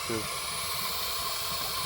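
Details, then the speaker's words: Junkyard SN95 Mustang with a cheap eBay radiator and a miswired twin-fan shroud (one fan wired wrong), overheated for the second time; steady loud hiss with faint bubbling and no engine beat: coolant boiling over. "hear it boiling no balls open the radiator bro"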